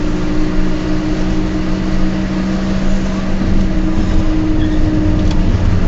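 A low steady drone with two fixed hum tones sits under the road noise while driving, typical of worn wheel bearings.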